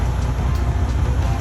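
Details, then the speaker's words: Freightliner Cascadia DD15 diesel, fault code SPN 3660 FMI 14, at idle during cylinder cut-out test: cutting out number 2 makes no change in the steady idle; number 2 injector likely no good. "There's no difference at all. Number 2. Nothing."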